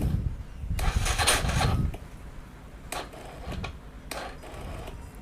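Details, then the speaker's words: Yamaha Vega R (old) with a Mio 5TL CDI fitted and a run-down battery. Short uneven electric-starter cranking bursts stop and restart without catching cleanly, so it is hard to start on the starter because of the weak battery. "Nah, ini bisa. Karena akiku agak tekor, jadi agak sulit."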